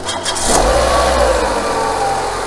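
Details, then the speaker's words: Renault/Nissan K4M 1.6 16V engine after cylinder head repair with genuine replacement hydraulic lifters, replacing counterfeit ones that knocked: brief crank, then a smooth, quiet, even idle with no lifter ticking, no bleeding or warm-up needed; normal idle. "сразу никакой прокачки нету у них не надо их ничего газовать греть просто эффект моментальный и шикарный тишина и мотор просто ровненько я работаю"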